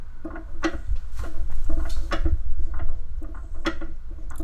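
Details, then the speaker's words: Project car fuel tank holding about two inches of fuel, car rocked to slosh it: irregular hollow clunks and slosh bursts a few per second; something loose inside, owner suspects fuel level float or a baffle door. "can't quite tell where it's coming from i think it might be the float on the on the fuel level housing but i'm not sure so if there's any other builders out there with some experience let me know might save me from digging into the fuel tank unnecessarily but clearly something's loose in there baffle door or uh the fue"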